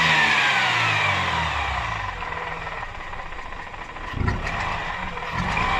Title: Mazda rx8 vacuum leak noise or broken apex seal?